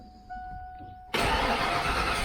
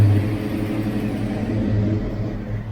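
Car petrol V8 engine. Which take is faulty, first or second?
second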